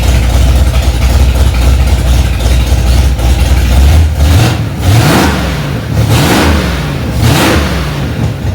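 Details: Freshly rebuilt Ford 289 small-block V8 in a 1965 Mustang "Hack Job", first start after months of work, cold engine: even rumble then three clean throttle blips about every 1.5 seconds; normal fast idle, runs smoothly.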